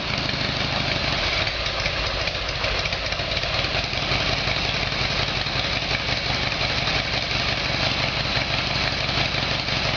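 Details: Harley Evolution Sportster with a replacement engine, odometer possibly 267,000 km, after a carburettor fix. Cold start on choke settles into a steady loping twin idle with no stumbling or popping; sounds a lot better.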